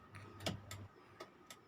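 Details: Isuzu TFR: crisp, even tick-tock clicks in a quiet cab from the turn signal flasher working normally after replacing the faulty flasher relay that caused non-blinking, stuck signals.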